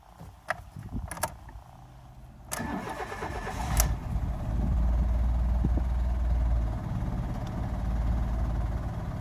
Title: Fiat Doblo 1.2 8v cold start and strange noise from the engine